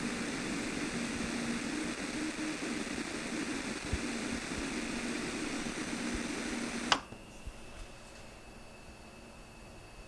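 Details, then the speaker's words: Toshiba Aurex AX-WSS60 compact sound system in AUX mode with nothing connected, amp and volume at maximum, recorded by microphone: a steady low hum under loud hiss from the speakers, then an abrupt drop. The noise is present in all modes. "ライン入力に何も接続していない場合でも、スピーカーからかなり目立つハムノイズが出ていることがわかりました。"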